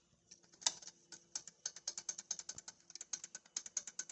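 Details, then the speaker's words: 2011 Audi A4 Avant with turbo codes, under the car: crisp, light metallic clicks about five a second as the wastegate rod is worked by hand; play in a worn, loose wastegate flapper leaks exhaust, so the turbo spools slower. "you hear that click click click that's um play in the waste gate flapper basically a valve that's supposed to be shut when you're accelerating to make the turbo spool"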